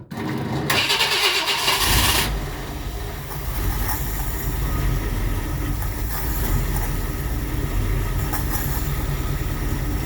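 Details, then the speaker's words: 1959 Ford Fairlane Galaxie 500, after suspected starter trouble: brief cranking, then catches and runs steady and strong with an even beat; running really well. "this thing you drink some gas though listen to that I mean it is running really really good"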